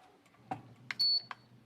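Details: Digital rice cooker after replacing a 12 V relay and a 470 µF capacitor (35 V in place of 50 V): a click, then a single clear beep when start is pressed, and it begins heating normally.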